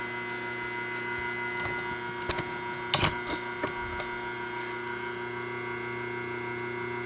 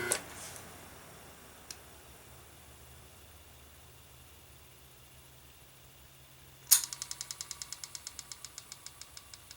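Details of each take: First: 1976 White-Westinghouse front-load washer motor Q174461 (3-belt), running on the bench: a steady hum with a few sharp, irregular metallic rattles. A loose spring is chattering against the frame. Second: 1976 Westinghouse front-load washer motor Q174461 (3-belt), switched off after running: quiet coast-down, then a sharp click and fading ticks as the centrifugal switch drops the start winding back in just before it stops; normal behaviour.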